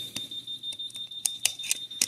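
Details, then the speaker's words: Home alarm panel beeps sharply and irregularly after losing contact with a wireless window sensor opened for battery change; NOT READY status caused by dead CR2032 batteries, two per sensor, fixed by replacement. "Now your alarm is going to start beeping because it can no longer detect the sensor at all."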